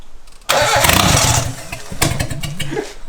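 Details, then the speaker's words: 2002 Mitsubishi Lancer 4G15 turbo build: the starter churns the engine over in an even beat for a few seconds, but it never catches because the intake air was blocked. "it's not wanting to fly. This might have something to do with it. What? Oh! Oh! Dude, I nearly blew up the 4G15. Oh, no air."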